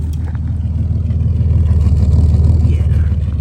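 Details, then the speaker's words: 1967 GMC C1500 half-ton long bed with factory big-block 305 V6, just revived after sitting 20 years, fitted with glass pack exhaust: deep, even idle burble with steady exhaust pulses, no misses, taps or knocks; normal idle. "sounds good it's actually got decent exhaust on it glass pack Big Blog V6 exhaust"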